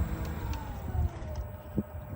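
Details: BLACK+DECKER 1.5 hp 220V variable-speed pool pump dropping to a low setting: quiet low hum with a soft tone sliding down as the motor settles to a slow, even speed; normal low-speed running.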